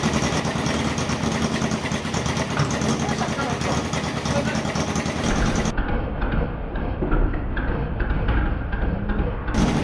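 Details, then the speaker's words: 1978 cafe scrambler motorcycle after rewiring: revving with fast light top-end ticking over exhaust-leak popping; ticking seems to come from inside the engine, not the leaking exhaust; cause unconfirmed. "it's just the farting from the exhaust it's leaking the ticking that we're worried about so I think it's actually working okay"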